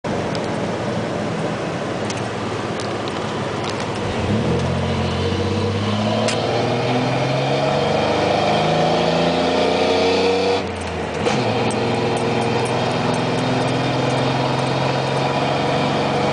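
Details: 1997 Dodge Ram 1500, 3.9 L V6, Flowmaster Super 44 with no tailpipe, codes P0206 and P0306, driving: loud exhaust with rough uneven pulse, cylinder 6 misfire.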